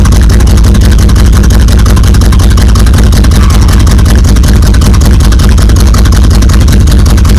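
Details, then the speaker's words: 1977 Buick Electra 225 with Buick 350 V8, sitting since about 1992, after removing clogged catalytic converter: very loud deep open rumble with hard pulsing idle beat, running with no exhaust pipes. "Let's see what the old Buick 350 sounds like with no pipe lighters on it."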